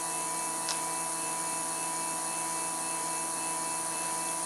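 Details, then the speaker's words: PCB drilling machine starting its drilling cycle; stepper motor drives to the first hole position (about half a motor turn per hole at 2.54 pitch), steady even hum with fine tones, no knocks or grinding; normal, healthy run. "on appuie sur le bouton perçage voilà et on entend le moteur commence à tourner donc il va se mettre à la position du premier tron"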